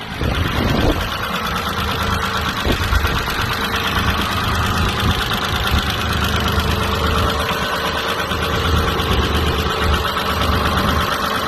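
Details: 1995.5 Isuzu Rodeo 3.2L 24-valve SOHC V6, manual, 4WD, just over 241,000 miles, idling roughly but steadily with faint light ticking from the top end.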